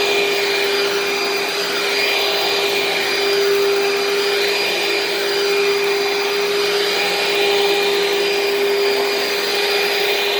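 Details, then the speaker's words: Dirt Devil upright vacuum with swivel casters running; steady, even motor roar with constant mid-pitched hum, no surging or rattles, loud but not too loud for a Dirt Devil, running normally. "it's also not too loud for a dirt devil i mean don't get me wrong it's loud but it's not for a dirt devil it's not too loud"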